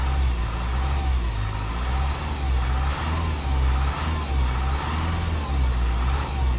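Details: 2007 Honda CR-V RE6 2.2 i-CTDi diesel idling with a thin, steady whine over the clatter. It began after an OEM timing chain kit replacement and persists after a second replacement. Belt and accessories ruled out; vacuum pump and upper cam gears are original. Cause unknown.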